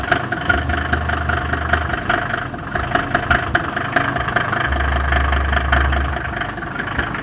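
Diesel idles steadily with a sharp, uneven tapping knock about two or three times a second on top; knocking at idle, cause unknown.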